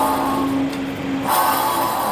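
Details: 2007 Toyota FJ Cruiser lifted, bare front hub spinning with caliper and rotor removed: steady rough hum with faint whirring, louder with rotor off; worn front hub bearing causing roaring on the road, replaced.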